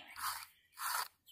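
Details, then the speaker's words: Corroded Abu Garcia 7000 i C3 baitcasting reel caked with sand, turned by the handle before teardown: rough gritty crunching bursts with every pass; sand inside grinding, sounds horrible. "sounds pretty horrible I'm gonna tear this part"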